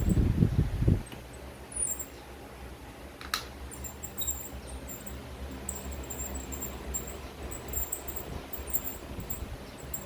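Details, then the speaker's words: Electric fan motor shaft turned by hand with the blade removed: thin, high chirping squeaks from dry front and rear bushing bearings, before oiling. "paikutin ko nga at ayun oh Ang lakas ng langitngit niya guys oh oh"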